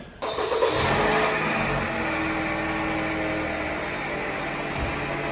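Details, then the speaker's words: 2019 Jeep Compass arriving at the shop with a strange noise: engine catches and settles into a steady whirring whine from the belt area at idle; worn accessory pulley and tensioner bearings. "esse carro chegou PR nós com um barulho fazendo barulho bem estranho na eu acredito que seja na Correia"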